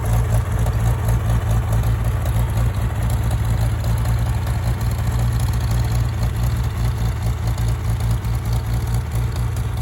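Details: Farmall tractor (1949 H or 1968 656, unclear which), troubled by fuel problems and cutting out; carburetor adjusted after it hadn't run over 30 seconds, coolant was 2.5 gallons low. Steady, even low rumble, no misses, knocks or hunting; normal running.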